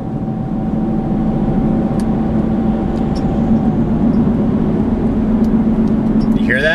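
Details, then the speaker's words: Truck with about 120,000 miles, cruising, with a constant low droning hum over road noise. It persists after new rear wheel bearings and a replaced rear differential; the owner suspects the rear driveline center support bearing, not yet confirmed. "Replaced the rear differential. Had metal shaving stuff in it, needed to be done. That also was not the noise."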